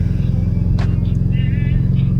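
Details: Mitsubishi Evo X idling in neutral right after new coil packs were installed to fix a misfire; steady, even idle with a smooth low pulse and no stumbles, although the check engine light stayed on and the owner plans a compression test.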